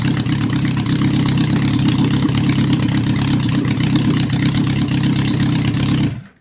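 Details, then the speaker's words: Honda restoration bike, engine lukewarm after cold start, mixtures not yet set, earlier slow to come down suggesting vacuum leak: even steady idle, smooth low burble, no misses, clean shutoff; normal idle. "Can't complain with that. Just a bunch of carburetor adjustments."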